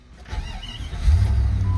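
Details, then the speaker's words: Jeep, 5.2 L V8, 187,625 miles, after fuel system work; it formerly needed prolonged cranking. Now a brief crank catches almost at once and settles into a steady, even low rumble; quick start, normal idle. "All right, let's start it up. And like I said, this used to have kind of prolonged cranking required to start it, so hopefully now it starts within, you know, a revolution or two."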